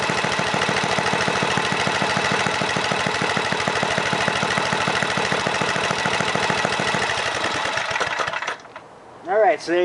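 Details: 1978 John Deere Tecumseh HM80 8 hp 318cc Snow King engine, originally on a John Deere 826 snowblower and in pristine condition, starts and runs with a quick, even single-cylinder popping at a steady beat for eight seconds, then shuts off: normal healthy running.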